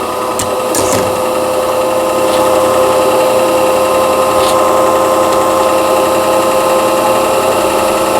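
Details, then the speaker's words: Singer 6180 sewing machine after repair of a needle-bar support knocked up by thick fabric and a twisted shuttle-race shaft. Bobbin winding on a temporary spool held by hand gives a steady high hum and fast whir with no grinding; normal bobbin winding. "이 기계에 이제 실을 이렇게 북실을 감는다 그러죠. 우리가 북실을 감아 보도록 하겠습니다."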